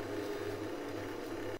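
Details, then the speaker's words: Gaelco Thunder Hoop JAMMA arcade board that fails to boot, first power-up test: a steady whistling tone with hiss comes from the audio circuit right away; later repairs included replacing an op-amp and checking the OKI6295; audio circuit whistle on power-up. "Et je lance le jeu. On entend tout de suite un sifflement en provenance du circuit"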